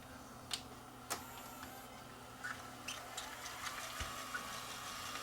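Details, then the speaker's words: Sony CCD-TR94 camcorder that shuts down seconds into play: faint, irregular clicks and ticks from the tape mechanism in fast forward suggest a possible mechanical problem, cause unknown. Abnormal clicking noise. "it might be a mechanical problem still because i heard some noise there when i went into fast forward take a listen"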